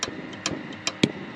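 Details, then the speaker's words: Dometic RM7732 RV fridge in LP gas mode with an aftermarket Dinosaur Electronics Micro P-711 board, 11.9 V supply: sharp, unevenly spaced igniter clicks as the faulty board repeatedly cuts and restores power to the igniter pin. The other parts tested fine, and the fix is replacing the board. "now you're going to hear it start clicking and watch the voltage it's continuously shutting off power to that pin and turning it back on again over and over again"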